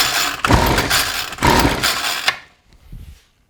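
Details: John Deere RCS400 two-stroke trimmer combo of unknown history, primed, with choke on. It has a fuel leak. Two rasping recoil pulls with no firing; it later runs on starting fluid, so fuel delivery is suspected.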